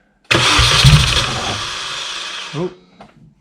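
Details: R53 Mini Cooper that won't start after canned fuel was added to an empty tank: after the spark plug is refitted, the starter cranks steadily at about 3.5 turns a second for two seconds without catching. It seemed close to firing with the plug out; cause unconfirmed.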